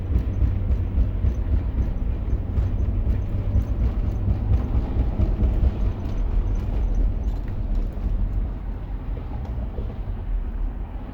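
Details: Lexus LX470 (100 series) moving on road after a hard day on trails: heavy repeating low thump from the drivetrain; owner suspects damaged CV joints, not confirmed.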